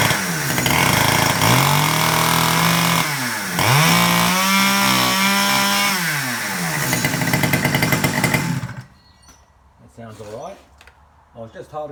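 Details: Stihl 009L chainsaw after cleaning and repair for a no-start, started with a little choke and the throttle locked: small two-stroke revs up and settles into a smooth, even buzz with clean throttle response, then shuts off. Runs fine.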